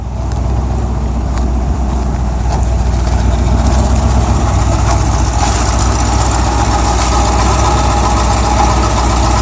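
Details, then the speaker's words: El Camino at idle with no valvetrain noise and earlier power loss possibly from a blocked catalytic converter: loose, uneven rattle at about four beats a second over the rumble, suspected loose exhaust, not engine; exhaust rattle at idle. "a little bit of uh that's not the engine that's that's the exhaust"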